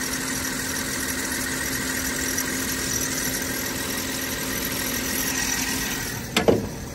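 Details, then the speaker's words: Mercedes-Benz SL55 AMG, 147k miles, check engine light, slight tick, pulley looked damaged: steady idle with constant high squeal; suspected belt or pulley, not confirmed; valve cover gasket later smoked. "You need a belt or a pulley or some sort."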